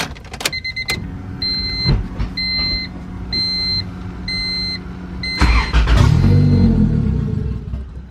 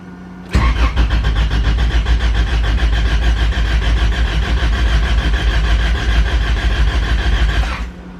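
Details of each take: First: Honda Civic B20 VTEC, chipped P75 ECU with base map after new turbo kit install (ran fine before): door chime, cranks, catches and revs briefly then sags; starts but won't idle. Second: Honda Civic with B20 VTEC engine, manual, distributor unplugged to build oil pressure after fresh fluids: even starter cranking about seven seconds, injectors still firing, never catches; normal priming crank, oil pressure then confirmed.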